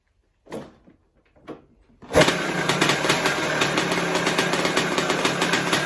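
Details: 1978 Yamaha YZ400E motocross bike: catches after a couple of kicks, graunchy when kicked over, runs with a metallic rattle over the exhaust note; owner suspects the top end, possibly needing a piston and small end.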